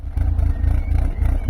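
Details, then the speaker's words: Fiat Tipo heard at the exhaust pipe at normal idle, after dropping from fast idle: heavy, low, unevenly pulsing thrum with visible exhaust vibration. Rough idle; blocked catalytic converter or ECU/sensor faults suspected. "you can hear now that this is kind of normal idle and then Jim will take you around to the exhaust pipe and kind of hear the thrum that comes out of that"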